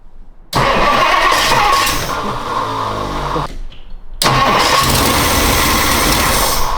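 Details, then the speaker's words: 1962 Ford Thunderbird, sat 16 years, first starts after restoring fuel supply: catches, runs lumpy and ragged, stalls when given gas, restarts just as rough; cause not determined. "We got the engine to start and it starts up pretty much every time now, but it runs really, really roug"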